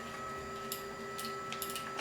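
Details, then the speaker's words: Anycubic Mega Pro 3D printer: sharp little clicks over a low steady hum as filament is fed through the filament sensor. This is its micro switch actuating normally, probably to detect filament breaks. "oh can you hear that it's just a micro switch so it's probably just going to detect brakes"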